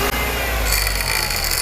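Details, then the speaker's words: Running car engine with a harsh, grating hiss and gurgling rumble; belt and tensioner already replaced without effect, traced to worn internal alternator bearings, fixed by replacing the bearing pair. "听一下这个声音呢，非常的刺耳，而且还有呼噜呼噜的异响声。这种异响声直接被锁定为发电机异响。"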